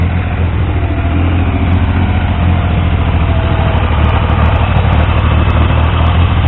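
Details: Triumph T150V triple, back together after head and cylinders came off for oil leaks; started on the 2nd kick. Deep, steady slow idle, firing evenly with no knocks or misses. Oil pressure ~40 psi under 2000 rpm, ~70 psi revving; no leaks; normal idle.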